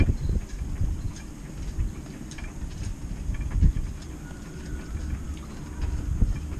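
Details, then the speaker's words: Chinese diesel heater starting up on 12 V, voltage dropping 12.9 to 12.4 V: uneven low rumble with scattered pops and ticks as the combustion chamber lights and the fuel pump ticks; normal start-up. "don't know you can hear that a lot i think that must be the combustion chamber kicking into life and just open this hear that the pump just ticking away"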